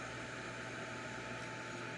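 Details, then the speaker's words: Refilled jewelry torch (ring repair) lit and kept burning: soft steady hiss with no sputter or popping, even level; torch running well and staying lit. "and i do hear it and it sounds like it's running well and a good torch will make uh all the difference in the world"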